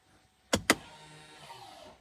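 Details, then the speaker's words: 2019 Ford Escape electronic parking brake, tested after exiting maintenance mode and rear caliper piston compression: two sharp clicks, then short even motor whir winding down smoothly; applies normally. "Then from here, we'll test the parking brake function, make sure that it releases and sets properly."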